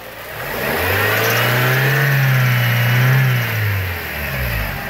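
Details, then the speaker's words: 1995 BMW E36 318i four-cylinder, 140,000+ miles, likely original alternator: engine revved up and settling with a faint whining squeak as revs climb, worse when cold outside; worn alternator bearings, alternator being replaced. "Now, it makes that it makes that squeaking kind of uh bad bearing noise more when it's really cold outside."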